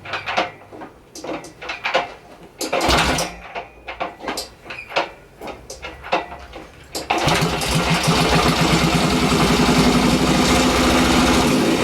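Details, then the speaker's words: Yamaha XS650 twin, freshly rebuilt engine; earlier flooding fixed by draining the carb bowl, ignition was slightly advanced: after several kicks and clatter it fires and settles to a steady, even idle about three to four beats a second; normal start. "So I just drained some fuel out of that bowl and it started right up and it was nice and happy. And yeah, the ignition was a little bit advanced, so now when you start it up, it runs just fine. There's no issues at all."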